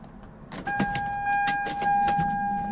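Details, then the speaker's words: Lexus SC300 2JZ, ignition on, engine off, fuel pump ECU bypassed with a jumper clip: steady electric whir from the rear pump with clear tone; pump primes, so fuel pump ECU likely bad. "Hopefully you guys can hear that, but I can hear the fuel pump back there whirling, which that's a good sign."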